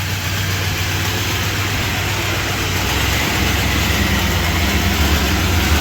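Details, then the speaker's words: 1978 Chrysler Newport, first drive after long storage and a fuel pump replacement; idling high and struggling with uneven light lifter clatter, about three to four ticks a second, suspected to be from old junky oil needing a change. "It's got a lot of lifter clatter, but probably just because it's got old junky oil in it. It probably could use an oil change."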